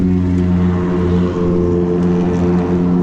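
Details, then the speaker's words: Nissan Versa at idle with damaged exhaust piping: loud, raspy, droning exhaust note far too throaty for a small car, exhaust blowing before being fixed; exhaust leak. "we're gonna fix this exhaust so it doesn't sound like that car you hear that"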